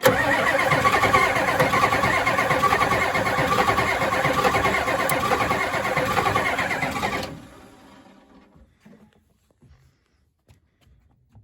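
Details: 1992 Ford F-250 7.3 diesel 4WD 5-speed, sitting since 2004, first start attempt on two mismatched batteries, no ether: steady rapid cranking about two strokes a second for seven seconds, slightly slowing, no fire.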